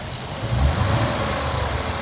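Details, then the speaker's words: Ford Mustang GT after bearing replacement for a knock: steady, even drone held around 2000 rpm with no rhythmic knocking; bottom end quiet and healthy, while coolant leaks from a cracked radiator top. "And uh I don't hear any knocking. I don't hear no knocking no more. Maybe we survived."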